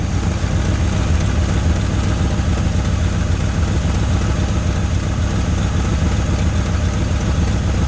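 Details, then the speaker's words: 1981 Ford Mustang 5.0 V8 fox body, a forgotten car being revived, with truck mufflers and no cooling fan fitted yet. A deep, steady, quiet V8 burble with no ticks or stumbles: a normal, healthy idle. "wow it's quiet I can hear it wow she sounds good sounds really good"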